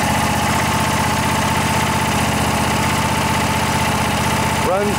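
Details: Kohler Pro Courage 26 hp twin-cylinder on a Craftsman DGS 6500 riding mower, sat for years, after carburetor rebuild without replacing float valve: even, steady twin-cylinder idle with regular pulse, no hunting; running properly.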